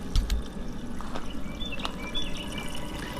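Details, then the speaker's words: BMW E39 M52/M54 after thermostat replacement, key on with heater on max during coolant refill: steady trickling and gurgling without air hammering, as coolant circulates normally. "okay so we can hear we can hear it circulating"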